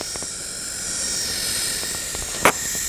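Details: New Dell Inspiron 15 3535 laptop with an AMD Ryzen 7 7000-series CPU: high fan whir with raspy scraping ticks, constantly grinding as blades rub on internal cables; fan blade rubbing on cables.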